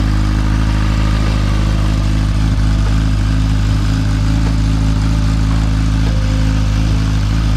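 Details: Motorcycle right after new spark plugs were fitted: a deep, steady idle with a constant low thrum and no surging, where the idle went up and down before. It seems to idle smoothly.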